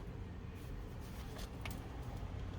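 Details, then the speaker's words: 2003 Cadillac DeVille, 4.6L Northstar, crank no-start after misfire and low power; cranking during a relative compression test: slow, uneven cranking with a lumpy thump and no catch, one to two cylinders sporadically dead; capture suggests cylinders 5 and 7 low in compression. "we have two dead cylinders it's actually a little sporadic sometimes it's one sometimes it's two"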